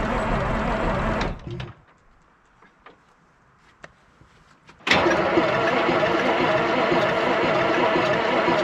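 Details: 1973 Peterbilt 352 cabover, 12V71 Detroit Diesel, sitting since 1986, cranking on 24 volts: steady churn of about three pulses a second that never runs; smoke has stopped and batteries are draining; owner suspects a fuel problem.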